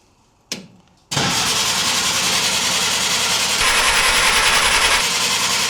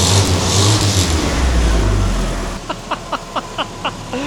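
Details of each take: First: 1950 Willys M38 at its first start attempt in 15 years, after a new wiring harness, fresh fluids and a redone fuel system. It is a 12V system, possibly with a 6V starter. Steady cranking at about 3.5 turns a second never catches: no fuel in the pump yet, being primed. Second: 1950 Willys M38, first start in over 15 years after new wiring harness, fluids and fuel system redo, with a fuel leak: gentle throttle blips, engine picks up cleanly and settles with no misses or knocks.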